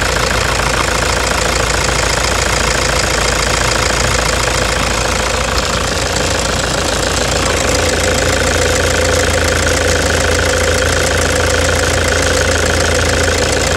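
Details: 2009 Toyota Hilux diesel idle with a defective, sticking injector: harsh metallic clatter about three and a half knocks a second, louder than normal combustion noise, before the injector replacement.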